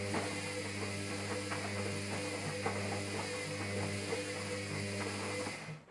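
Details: Hoover Dynamic Next Advance WDXAC6852B replacement washing machine starting a wash, noisy again: steady low hum with irregular ratcheting clicks and ticks, abnormal mechanical noise, cause unclear.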